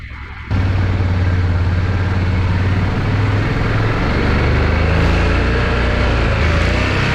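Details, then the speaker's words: Yamaha Rhino 660 UTV single-cylinder engine, covers off, with blown head gasket (coolant smell, smoke clearing from exhaust), choked start then ridden under load: loud deep steady thump, no knocks or misses; runs well, radiator fan came on, water pump working. "so seems to run pretty good man this thing is loud though it's like obnoxiously loud"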